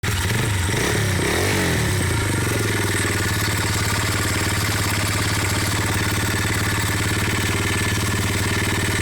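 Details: ABM Raptor 250 motorcycle at steady idle with a fast, uneven knock about four times a second running through it; engine knock, source not pinned down.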